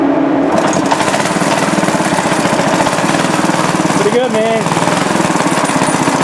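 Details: Restored rare Briggs & Stratton NR6 6:1 gear-reduction single-cylinder engine, first run on a temporary gravity-feed tank because its own tank isn't working: fast, even chugging at steady speed with a brief squeak, no misses or knocks; normal running.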